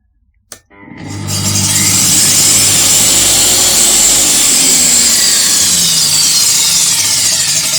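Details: DEWALT DW745 type 4 UK 240V jobsite table saw after fitting a soft start module: motor ramps up gently over about half a second to a steady high whine with no harsh kick; soft start working normally.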